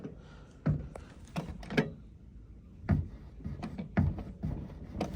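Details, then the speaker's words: Acura RSX-S door with new OEM weather stripping, bump stops and door latches: several heavy dull thuds with hollow knock as door is slammed repeatedly; door won't close lightly, owner suspects door alignment needs adjusting. "this hitting that at a weird angle. I think the door needs to be adjusted, and like, it doesn't like to close."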